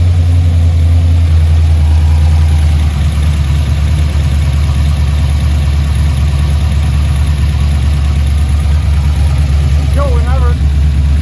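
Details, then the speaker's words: Built HCI 6.0 V8 in a GTO on its first start, untuned, low on fuel, after earlier backfires. A deep, steady idle holds about 1100 rpm with an even beat and no misses or knocks: healthy idle. "all righty guys well I'm beyond stok that we finally got to actually hear the six lit run"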